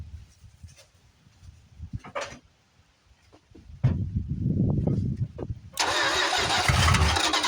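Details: 1973 Plymouth Fury III V8, off the road 7 years, started cold on bad old gas: it cranks, stumbles and catches, then runs unevenly with spitting and sputtering. Rough, but not too bad given the stale fuel.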